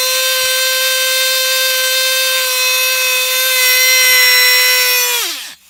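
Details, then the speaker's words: Traxxas T-Maxx RC truck with replacement engine: holds a piercing steady full-revs scream with no throttle, then drops off sharply (runaway high idle); owner suspects air bubbles in the fuel line, mixture set 3.5 turns, idle screw adjusted. "so yeah it just sits there and screams and I don't know what to do I mean it seems like the fuel line is getting air bubbles in it"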